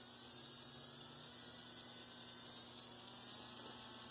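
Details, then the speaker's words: Rebuilt Bachmann GP30 pancake model train motor after raising scraping collars, at 14 volts drawing up to about 0.3 A when loaded: hum rises in pitch then holds a smooth, even whine with no rattle, has power; normal running after repair. "Sounds really good. Not only that, it's got some power."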